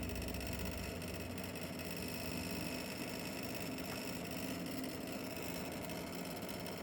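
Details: RTX 5070 Ti graphics card: fast, steady buzzing rattle under a constant fan whir, like a loosely vibrating part.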